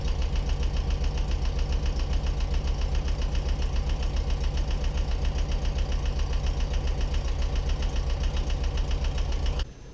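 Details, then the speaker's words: 1979 VW Westfalia bus engine right after a new AGM battery replaced a 10-year-old one. It fires right up and idles with a steady, even putter and regular low beat, no knocks or misses: normal idle. "So you can see our speculations were right. The car fired right up, no problem."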